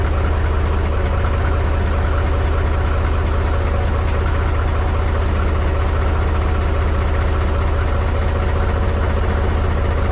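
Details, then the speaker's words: Mahindra 3525 diesel tractor, cold start at 18–19°F after about 1.5 months unused, low battery boosted with a jump pack: steady low chug with heavy, slightly uneven beats; rough cold idle that smoothed out after a few minutes. "she's definitely cold this morning she doesn't like too much"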